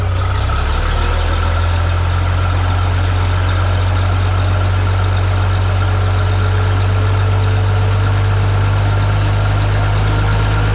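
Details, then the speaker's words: Minneapolis-Moline G950 propane tractor on a very cold day, Stanley muffler fitted in place of the new-old-stock one; deep steady low rumble, no knocks or misses, slightly louder exhaust; healthy idle, valve covers back on and valves sound good. "a so it's definitely louder it's not a lot louder doesn't sound terrible"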